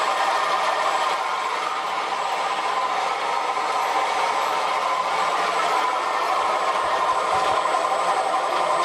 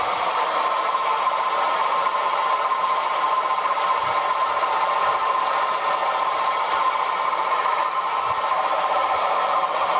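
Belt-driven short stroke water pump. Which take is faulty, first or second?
first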